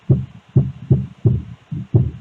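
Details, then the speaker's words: Portable speaker box after repair of a loud bass rattle: deep bass thumps on a steady beat with no buzz or rattle; the noise is gone, plays normally. "e já dá para ver que aquele barulhão estava fazendo não fala mais"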